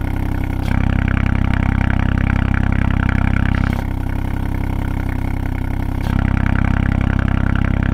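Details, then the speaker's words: 2020 Ford Fiesta MK8 ST with a Scorpion GPF-back exhaust, before the fix: loud low engine drone at idle with a fast buzzing rattle riding on it, from the loose exhaust valve rattling, also faintly heard when revved. "um yeah that that has solved the problem and and you could i think i could slightly hear rattling as well when when you revved it um before i fixed it"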